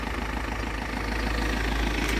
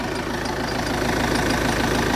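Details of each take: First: Vauxhall Zafira 1.9 CDTI 150 hp diesel after starter motor replacement, shorter belt fitted bypassing AC compressor: brief steady low diesel rumble at idle, smooth and even without knocks or misfires; idles cleanly. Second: Vauxhall Zafira 1.9 CDTI 150 hp diesel after starter motor replacement, shorter belt fitted bypassing hot AC compressor: steady idle with light even metallic rattle over the clatter; owner suspects a loose bracket in the middle, otherwise engine sounds good.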